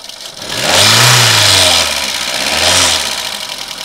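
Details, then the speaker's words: VW 1.4 TSI/FSI engine at startup after oil pressure priming: harsh metallic rattle, easing slightly as revs settle, suspected tired timing chain; owner plans thicker oil before chain replacement. "Bizarre, hein. Bizarre comment elle tourne, celle-là. Bon, ça tourne, mais ça me plaît pas trop."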